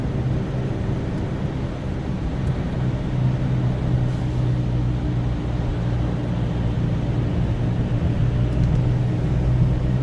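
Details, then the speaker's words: Subaru Outback wagon at highway speed in snow: steady low buzzing drone over road rumble; mechanic says not the tires, owner wonders about used rear tires; cause unknown. "but it's not like when I'm on the highway doing 80 miles an hour it's loud a little powder so my mechanic said it's not the tires"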